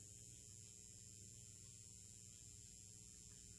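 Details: Xantrex XW hybrid inverter/charger during an off-grid, grid-tie battery backup load test at 120V/240V 60Hz: a quiet, steady electrical hum with a faint high whine and no buzzing or crackle, working normally.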